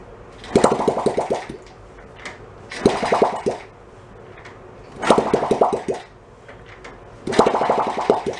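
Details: 1972 Honda CT70 Trail 70, stored about 20 years, no muffler, choke position uncertain; four bursts of rapid sharp pops, each dying after a second; fires but sputters and won't keep running.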